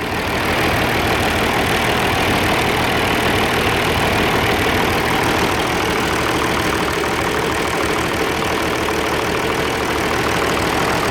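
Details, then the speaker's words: Old Oliver 1550 diesel tractor idling after valve adjustment: lumpy, irregular beat with knock about three per second; smoke and no heat at number one, number one injector to be pulled and rechecked. "yeah the smoke and the lack of heat in number one I guess I'll pull that one back out and check it again"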